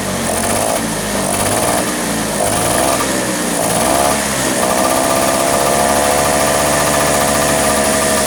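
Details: Vespa two-stroke scooter fires up after a carburetor cover (deksel karbu) setting for flooding and hard starting, with ignition normal and oil topped up as it seemed low; it holds a steady, rapid buzzy beat that rises slightly, no stumbling, running cleanly.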